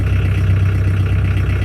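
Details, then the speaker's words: Chevette diesel started after sitting, with rusted brakes freed: low, steady, even idle with a deep tractor-like thrum, no misses or knocks, and it runs, steers and stops; normal diesel idle. "no way it worked works the whole thing works just listen to that sounds like a Kabota so yes it runs and steers and stops"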